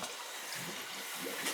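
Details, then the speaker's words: Burnham boiler hydronic heating, one of three zones (cellar zone return) refilling: steady hissy rush of water with faint gurgles as trapped air still bleeds out, nearly done. "You still hear the air coming out, huh? Mm-hmm. That's just about done."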